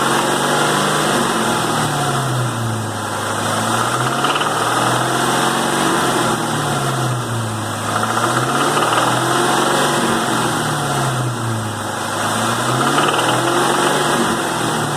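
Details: 2001 Cobra 4.6 4V V8 at 78,600 miles, a noise that shows on light load: rapid irregular knocking and ticking over the engine note, rising and falling with revs. Engine knock whose source is not diagnosed.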